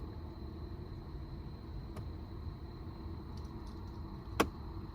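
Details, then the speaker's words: 2012 Ford Mustang dash: sharp pops over a low hum when switching from bottom vent back to defrost, the blend door actuator slipping as it tries to reposition; fix is replacing the actuator. "here so there it goes so it's trying to get it back that's where it's popping"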